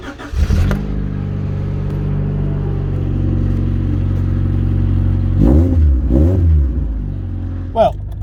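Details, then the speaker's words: Rover 416 SLi automatic petrol engine idling and revving with a raw, loud chuffing blow from the exhaust after welding repair; rear silencer back box not yet refitted, so exhaust still blowing — exhaust leak. "because you can still quite hear the blowing quilt's still quite yes you can clearly hear it blowing can't you that's because I haven't put the back box back on yet"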